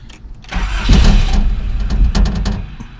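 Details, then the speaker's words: Nissan D21 flatbed truck that sat five years, with a newly fitted ignition switch and charged battery; a short, rough burst of low cranking that never fires; crank no start, fuel pump later heard running. "i'm fired right away no just cranking now"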